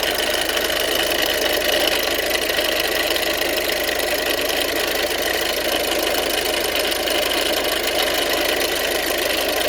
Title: 1.6 TDCI rattling sound